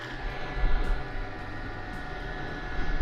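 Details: Diesel heater with a battery-backup mod, on AC charger power, just after start-up, fully lit and running wide open. Steady low rumble with even fan whir and faint constant hum: normal running.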